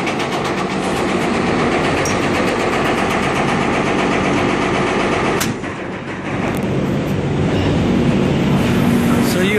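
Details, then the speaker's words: Marley cooling tower Geareducer, customer complaint of massive noise: loud harsh rattling drone with a steady beat about four per second coming from the gearbox itself, not the fan; gear reducer noise, not yet disassembled. "that noise that's what's happening there that's the gearbox itself"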